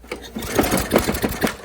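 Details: Lawn mower that wouldn't start after storage, after cleaning the carburetor bowl and main jet, started on starting fluid with the air filter off: quick, fairly even chatter as it catches and keeps running on its own, sounding healthy.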